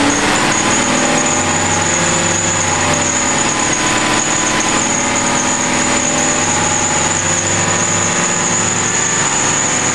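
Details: Aston Martin V8 Vantage at idle: constant piercing high-pitched squeal, unchanging in pitch, from the front of the engine at the belt and pulley area; belt and pulley suspected, not confirmed.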